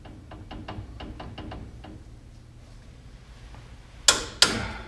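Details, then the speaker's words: GM 12-bolt truck rear end, used gears, Eaton G80 locker going in, thicker shim on left pushing ring gear right: light even ticking as gears turned by hand, then a couple of loud clunks; mesh sounds good, backlash guessed loose around 10-12 thou. "So yeah, by using the thicker shim on the left side, it's pushing this ring gear to the right just a hair. And just listening to it, it sounds pretty good."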